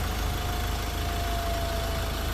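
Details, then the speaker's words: Ford Ranger T6 diesel after engine rebuild with new pistons, rings, main and rod bearings, first start after refilling oil: steady smooth low-rumble idle, no misses or knocks, no white smoke unlike before; engine healthy. "เราสตาร์ทเครื่องยนต์ติดขึ้นมาแล้วนะครับผมอ่าเครื่องยนต์ทำงานแล้วนะฮะอ่าไม่มีไอไม่มีควันขาวนะ"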